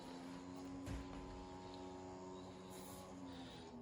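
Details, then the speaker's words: 2001 HP Pavilion N5445 laptop booting to BIOS with quiet 80GB IDE hard drive; faint steady hum of something spinning up, then quieting down; normal spin-up, nothing abnormal. "I don't know what that is spinning up, but it seems to be fine, and it quiets right down."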